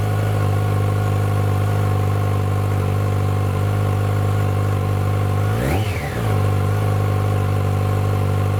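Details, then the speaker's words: 2006 Yamaha FZ1-N on the fully stock exhaust, before the slip-on swap: strong, even idle and one clean blip rising fast and dropping back smoothly. Free revving to about 7,000 rpm; normal. "So that was just free revving up to about 7,000 RPM."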